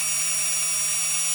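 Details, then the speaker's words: 2020 Audi Q3, 58k miles, rear brake pad change: electric parking brake caliper motor on 12V supply with corrected polarity, thin steady high whir without grinding or stutter, retracting normally so the piston can be pushed in. "Okay, yeah, so it's retracting. So I'm going to let it run till it stops."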